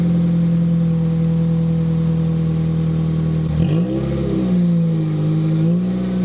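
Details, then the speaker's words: 2007 Toyota Corolla LE with muffler removed before fitting TRD muffler: loud raw droning idle, steady low tone, no revving, siren sweeping through; surprisingly sounds good with no muffler. "Surprisingly, it actually sounds really good with no muffler. I'm a bit shocked."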